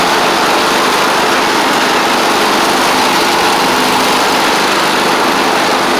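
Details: Troy-Bilt Mustang Z46 zero-turn, Kohler engine, after wiring and ignition coil repair and blade tightening: steady, even drone with no misses, knocks or surges; runs fine once started though it tends to choke at start-up, possibly an overly happy fuel pump.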